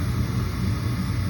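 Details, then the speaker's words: 80% efficiency furnace in an attic during tune-up startup: exhaust fan spins up with a steady even hum, no rattle or hesitation, before pressure switch and hot surface igniter; normal furnace startup. "we've got exhaust fan pressure switch to listen carefully with the grip hot surface igniters"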